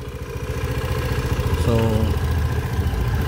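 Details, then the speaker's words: Scooter with 62,000 km, after throttle body carbon cleaning and ECU reset: steady idle with even pulsing and no misses, but a touch fast. Idle speed too high, later lowered by adjusting the idle screw. "So ano mukhang Napansin ko Mataas yung ano niya ah Menor niya para sa akin"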